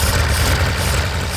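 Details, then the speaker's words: 1930s Wolseley Hornet six-cylinder, first run during restoration: low lumpy idle with uneven beat and irregular exhaust dips, running rough, not on all cylinders; misfire not caused by plugs, fuel intake suspected, debris later found in line. "Oh, it's running a bit rough. Yeah. Is it on all cylinders? No. No, That's not on all cylinders."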